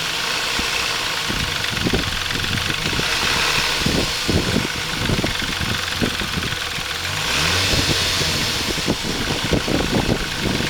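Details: Dodge Intrepid 2.7 engine after water pump replacement: irregular light ticking and rattling over the running engine through the revs; timing chain tensioner not released correctly during installation, later fixed.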